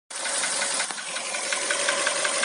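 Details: Hyundai Solaris engine at steady running: light, regular metallic ticking knock over a thin hissy engine note; origin unknown.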